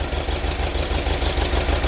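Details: VW bus engine with hydraulic lifters after a full rebuild, valves not yet adjusted: rough, lumpy idle with a light quick tapping over the low thrum. Valve/lifter noise is suspected, with valve adjustment planned as the fix.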